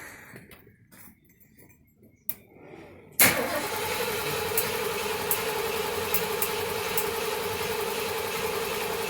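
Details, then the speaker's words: 1977 Mercury Marquis, Ford 400M V8, compression test on fourth cylinder during tune-up: sudden steady, even cranking churn with regular beat, no skips; reads just under 120 psi (about 118), same as the others, consistent healthy compression. "Oh, just under 120. Same as the last. Good. Pretty consistent."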